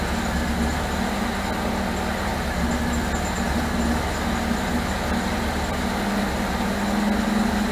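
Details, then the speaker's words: 1978 MGB after rebuilt carburetors were fitted and the ignition points deleted. Steady idle with an uneven, wavering low hum under a faint tone, a rough idle. Timing rechecked and distributor turned; the owner suspects the distributor still needs adjustment. "What I ended up doing was cranking it up after I rechecked the timing, and just kept turning the distributor, so I was able to get it to finally sit here and run. It's not the greatest, but I think I'm still gonna have to do a little bit more turning on that distributor."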